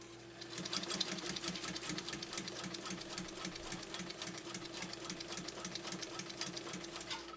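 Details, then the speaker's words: Japanese Viscount Model 929 1.5 amp belt-driven oscillating-hook sewing machine sewing through thick layers: quiet steady motor hum with light even needle ticks about four to five per second; runs smoothly and quietly. "really runs quite quite quiet for a belt driven oscillating hook system"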